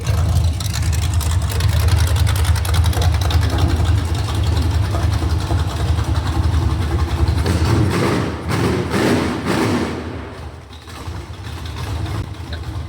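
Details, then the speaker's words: Budget $3K small-block Chevy 350 on a test stand, run with open headers. It lights right off into a loud, lumpy, choppy idle that sounds like a Comp 280 cam, healthy but rough. It still needs carburetor work, and an oil leak was found. "That lit right off. That sounds like the old comp 280 to me. Not bad. Yeah, it doesn't sound too bad."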